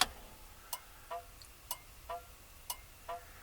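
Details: 1959 Mercury Monterey, dormant for a decade, ignition newly wired, key on and engine not running, other turn signal selected: crisp tick-tock about one pair a second, even beat; flasher working normally.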